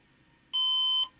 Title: WP 20150111 002 Broken Computer Makes Beeping Noise